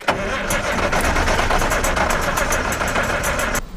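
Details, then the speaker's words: Massey Ferguson 860 combine with a Perkins 354 six-cylinder diesel, first start after six years while the fuel system is primed: steady starter churn, about four beats a second, with ragged catches and smoke; partial firing, likely fuel-starved. "that's not in the hole it's trying it's trying really hard did you hear that ah still a little smoke come on Perkins"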